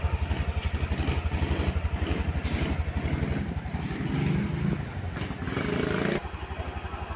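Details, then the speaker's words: Honda Beat Deluxe scooter, about 2023–2024, that stalled suddenly and started hard; after tightening loose coil and TPS connectors, fast even idle around 1300 rpm, warm, with no stumbling or dying, scanner data normal. Normal idle. "Dan setelah saya e merapatkan soket koil sama soket apa namanya? TPS yang tadi motor bisa hidup normal tanpa kendala dan bacaan datanya di sini lancar bagus ya."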